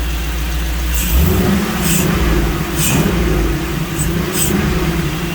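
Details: Jeep V8 with multi-port fuel injection, back from exhaust shop, after fixing a serious miss caused by the tune being set for throttle body injection: clean revving, all 8 cylinders firing, smooth, no stumble or miss.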